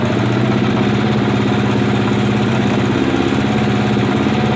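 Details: 1980 Kawasaki Z500 B motorcycle at a busy idle with a faint, quick ticking knock mixed into the rumble; source unclear, owner asking what it could be.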